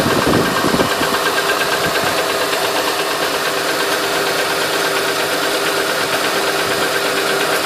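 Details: 2008 Honda Ridgeline at idle: light, fast ticking roughly three per second over a steady idle; a persistent tick from the top end, cause not yet known.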